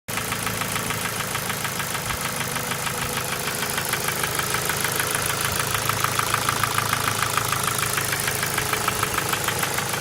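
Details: Ford Focus 2 1.6 100 hp engine at idle: sharp even metallic ticking about three knocks a second; piston pin knock, otherwise no issues, no oil consumption, starts well.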